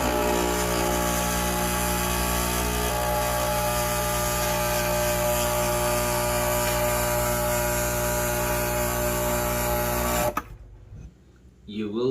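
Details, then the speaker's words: Breville Barista Express espresso machine, single shot before solenoid replacement: a harsh, steady buzz with a fast pulsing rattle runs loud while the shot is pulled, then cuts off; noise when brewing is the first symptom of a failing solenoid. "will hear a lot of noise when you press the single cup or Double Cup button it will make some strange noise that that is the first symptom"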